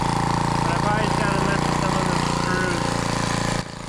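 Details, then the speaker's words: Edger engine found in the trash (previous owner said it burns too much oil) buzzes at a fast, slightly uneven, lumpy idle before cutting out after carb screw adjustment; rough running, mixture screws probably need more adjusting. "I don't really need to edge my driveway, but work. Doesn't sound like it's running the best,"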